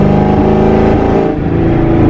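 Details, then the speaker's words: Boosted Mustang GT pulling under throttle with an uneven, stumbling note that wavers instead of building cleanly; still sputtering though slightly better with better gas, no engine codes thrown, cause unknown. "It feels like it has a little bit more power, but it's still sputtering."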